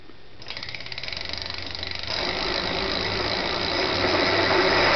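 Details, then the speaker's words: E-bike hub motor on a knockoff E-Crazyman controller at 133 VDC, spun up slowly unloaded, ungoverned, shunt about 70-80 A: rapid ticking rising to a harsh gritty whir; very bad bearing in the motor, bought that way. "I have a very bad bearing in this motor you guys will hear when I spin it up but the motor I got it like that"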